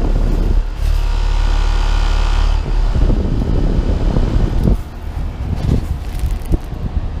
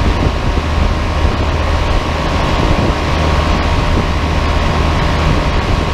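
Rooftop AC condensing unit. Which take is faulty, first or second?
first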